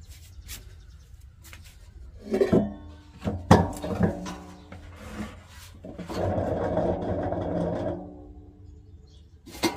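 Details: Hotpoint washing machine: rough, rasping rumble in short bursts as the drum turns, from a worn-out drum bearing.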